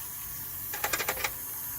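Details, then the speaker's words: 1979 Chevrolet C10 with LS swap, first fire-up: with fuel pump already running, powering up the PCM at key-on makes the electronic throttle body self-test, five quick buzzing ticks over a faint steady hiss; normal throttle body cycling. "And you hear the throttle body kick on."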